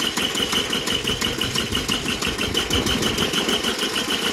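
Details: Worn Bolens G174 diesel tractor, hours unknown, cold start attempt on a 90°F July day. An even cranking beat of about three pulses a second never catches. Glow plugs, filter, fuel, starter and battery were checked; compression of 325/395 psi means low compression is causing the hard start.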